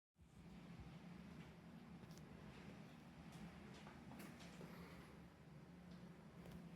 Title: Rtx 5090 and ryzen 9950x3d on Sf1000 psu weird noise at load